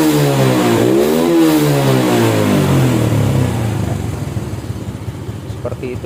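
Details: Restored Honda Supra X 100cc single-cylinder motorcycle with modified engine and custom camshaft: revs smoothly up and down without misses or knocks; slight ticking normal from the custom cam; sounds healthy and strong.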